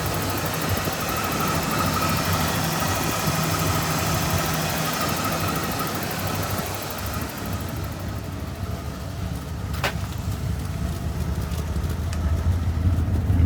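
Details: 1986 Ford F150 idling after replacing both fuel tanks and sending units and cleaning the reservoir: steady even low rumble, no misses or knocks, background noise rising near end; small oil leak, some exhaust smoke; normal idle.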